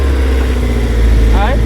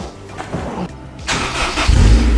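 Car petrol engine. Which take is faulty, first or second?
second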